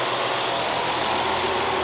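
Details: Nissan 300ZX Z32 twin turbo at idle after vacuum leaks around the throttle bodies were temporarily sealed with sticky tack: steady, even idle hum with the loud whistle gone and idle stabilized; old throttle-body gasket still to be replaced.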